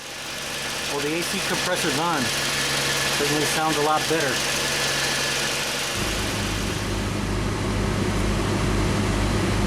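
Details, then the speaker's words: 2000 Honda Civic LX after A/C condenser, compressor, receiver-drier, expansion valve, valve cores and compressor and condenser fan relays were replaced and the system recharged: at idle the compressor engages with a smooth even hum, vents now reach 46-47°F versus about 65°F before; normal A/C operation. "can see we're getting down 46 to 47 degrees pretty good for this car and before I changed everything out this thing wouldn't get below about 65 degrees or so"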